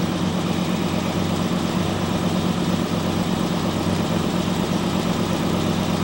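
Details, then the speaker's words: 1969 Camaro Z/28 after restoration (1992–93), heard outside the car: deep even idle rumble with steady lope, no knocks or ticks; normal V8 idle. "I know you have no problem sounds awesome here huh it's got a really unique sound I like to hear outside the car okay what a sound Mystikal"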